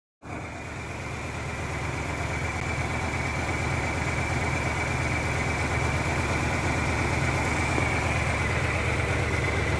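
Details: Pickup engine idling with a low, uneven pulsing beat: rough idle on a 1997 Ford Ranger after a new fuel pump was fitted.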